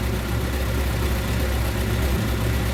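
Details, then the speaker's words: 1954 Ford Popular 103E; low uneven idle wavering and dipping then stalling for no reason; battery 7.4–7.6 V while charging, voltage at coil jumping around, vacuum leak also wondered about; fuel bowl next to check: cause unconfirmed. "Right, it's just stopped again. For no reason."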